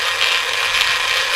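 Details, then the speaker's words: Small DC gear motor on a PWM speed controller (5A 90W) powered at 6 V, drawing about 1.4 A; harsh, rattly high whir and coarse gear buzz, a loud motor noise. "Whoa! Start spinning. Little bit more. It's making a loud noise."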